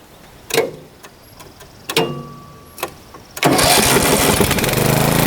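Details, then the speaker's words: Mower after manually setting RPM with idle adjust tapped all the way out: a few pull attempts, then catches into a strong, even run at higher speed; slows noticeably when blades engage but sounds better. "So, um, it's now going pretty good right now, but as you engage the blades, it seems like it slows down quite a bit, but it definitely sounds better."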